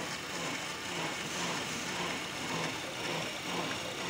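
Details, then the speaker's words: Honda Accord at idle after power steering fluid change and proper bleeding, wheel turned fully left and right repeatedly: steady, smooth pump hum with no hiss or whine; earlier abnormal noise came from air in the system. "ya sedang halus ya itu cara perbaikan dari Hai pengurasan minyak power steering di Honda Accord"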